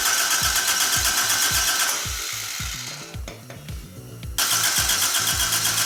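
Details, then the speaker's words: Toyota AE86 first start after replacing the ignition coil and checking the engine harness: starter churns about four turns a second, then the engine catches and runs lumpy, popping, not on all cylinders; owner suspects timing a tooth off. "You can hear it popping twice when you have it all the way."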